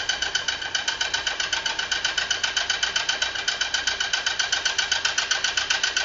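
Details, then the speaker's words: 2018 Fiat Uno, Fire Evo petrol engine, previously opened, running: sharp steady metallic tick about four per second over thin idle; abnormal noise of unknown cause, engine to be disassembled. "vocês conseguiram ouvir o barulho aí pessoal esse é o barulho desse motor Beleza agora o que que a gente vai fazer a gente vai desmontar pessoal né diante desse defeito pessoal diante desse barulho"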